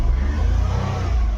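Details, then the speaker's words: Nissan Micra petrol automatic after the fuel pump assembly was replaced: it now starts and revs cleanly with an even rumble and no misfire. Check light is on, likely from the earlier extended cranking. Normal revving. "तो यहां पे engine हमारा start हो गया check light आ रही है क्योंकि कुछ प्रॉब्लम रहेगा व भी रिसेट कर दूंगा मैं यहां पे रेस वगैरह भी बराबर हो रही है"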